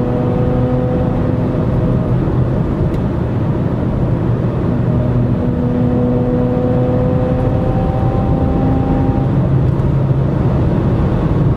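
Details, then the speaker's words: 2012 Toyota RAV4 EV with Tesla drivetrain at highway speed around 60-65 mph under power: steady tones over road rumble rising and falling with speed, grinding in the cabin; drive unit/reduction gear whine, Toyota has agreed to replace the motor under warranty. "now they'll be replacing that motor I'm looking forward to that because that noise is really irritating at typical highway speeds of around 65 miles an hour uh it really grinds in the cabin and gets very annoying"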